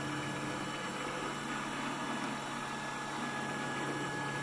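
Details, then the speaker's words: Precision Matthews PM-728V-T mill spindle, quill unlocked and being moved while spinning: steady, quiet even whir with a faint constant hum, no knocks or grinding; normal spindle running. "I'm gonna unlock the quill I'm going to move the quill still pretty quiet"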